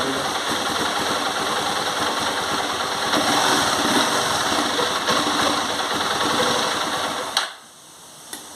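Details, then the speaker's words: CG 150 Sport single-cylinder motorcycle, just started and warm, after being run without engine oil: fast rattly tapping about three ticks a second over the idle; owner suspects piston noise, louder when riding. "esse barulho aí como vocês podem ver é barulho de pistão quando ela está andando também ela barulho faz um barulho muito forte no motor por conta aí que eu rodei sem óleo nessa moto"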